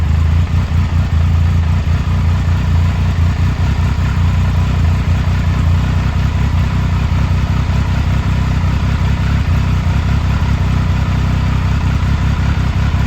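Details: 2000 Triumph Sprint ST 955 triple, first start in 24 years after being wrecked new and stored in a barn, with a cleaned fuel pump and new fuel hoses: steady, even hum with a deep low beat and no knocks or rattles; running cleanly.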